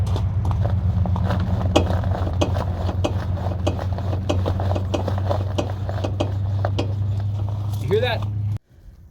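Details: Honda Element front suspension with the sway bar end link nut only hand-tight, body rocked side to side from the driver's door. Quick hollow clunks come from the loose link and stop once the nut is tightened.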